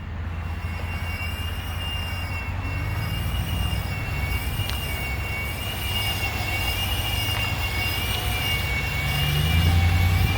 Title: 2017 Ram 1500 whining/screeching noise